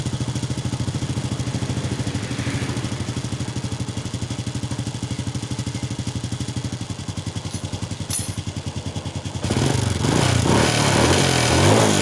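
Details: Honda Wave 100 single-cylinder idling evenly at roughly three beats a second, then revving cleanly without stumbling, after a clogged fuel filter causing hard starting, poor acceleration and stalling was fixed (carburettor cleaned, air and fuel filters replaced); now runs properly.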